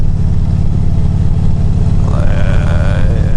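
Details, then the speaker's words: Motorcycle riding: a high squeaky belt chirp over the engine. Owner suspects the belt is rubbing the side of a misaligned pulley; the pulley bearings were checked and feel tight. Cause unconfirmed. "that belt chirps and for my from my research that I've done that chirping comes from when the the belt slides against the side of the pulley it's rubbing against the pulley"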